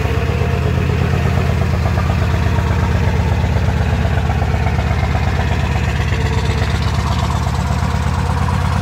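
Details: OBS Ford 7.3 Powerstroke diesel at about 8°F, sat a week or more unplugged: loud, clattering, hurried, uneven cold idle right after a hard start on the second try. Fuel pump running, so fuel not gelled; glow plugs recycled. Cause of roughness unconfirmed.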